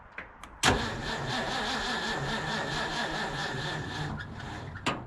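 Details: Abandoned 1950s Ford F5 tow truck cranked after replacing a battery cable with a homemade flattened copper one; the starter drags slowly for about 3.5 seconds with no catch. Owner suspects a weak battery and plans to replace or charge it.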